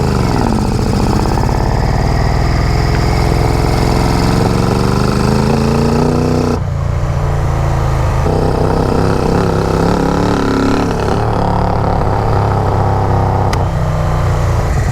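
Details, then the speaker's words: Barn-find Yamaha Vmax with no airbox or air filter on its CV carbs runs rough: uneven, lumpy note with stumbling pulses and a hunting pitch; bike felt super doggy when ridden. "This thing is running like junk, but that's okay. We'll figure it out. No air box, no air filter is terrible on CV carbs right now."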